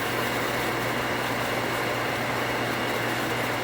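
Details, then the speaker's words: 1 hp cast-iron booster pump after the pressure switch rewire, with the new switch bypassed and cutting in at 45 psi: steady motor hum, builds pressure smoothly and shuts off with no chatter; short cycling fixed. "Let's turn it on, and what I'm expecting it to do is to come on, build pressure, and turn off without chatter. So far so good."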